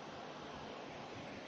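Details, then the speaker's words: Kogan 14,000 BTU portable reverse-cycle air conditioner cooling, room 27°C with 36°C outside, fan bumped to high: steady even rush of air, no rattle, tick or whine; not overly loud, running normally. "it's not overly loud like I could be comfortably sitting on the phone still with this in the background"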